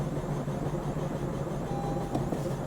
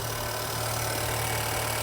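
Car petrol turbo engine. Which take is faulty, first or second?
first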